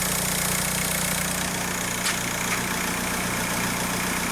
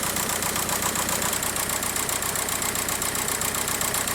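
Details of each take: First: 2004 VW Beetle TDI, BEW PD engine, with injector code P1666 and cylinder 1 misfire P0301 (ECU had cut the injector): after switching off and restarting, a steady, smooth diesel idle with all cylinders firing. A crank signal or connection fault is suspected. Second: VW PD TDI diesel at idle shaking with uneven lumpy beat, one cylinder misfiring; codes P1666 and P0301, ECU shut off the injector, harness checked undamaged, injectors then checked with amp clamp and scope.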